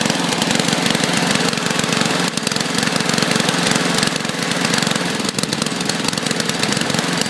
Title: Tecumseh engine misfire